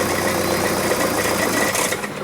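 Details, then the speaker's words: 2009 VW Jetta TDI, CBEA diesel, starts then dies with no codes: catches and runs roughly a couple of seconds, then sags and dies with hardly any airflow from the exhaust; almost certainly a clogged DPF. "there's really no hardly any airflow coming out of there at all almost for sure that means it has to be the DPF clogged up"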